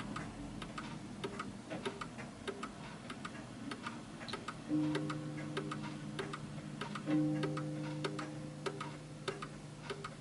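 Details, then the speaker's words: 1940s Hermle (FHS) 8-day German Art Deco chiming clock deliberately tilted on a wedge: uneven, struggling ticks fading as the pendulum loses swing and stops; clock out of beat, before calibration. "and you can hear it's struggling and it comes to stop you can't hear the ticking anymore"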